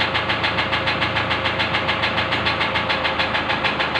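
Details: Steady engine idle with a sharp, even tick-knock about three and a half per second; suspected injector knock, source unconfirmed.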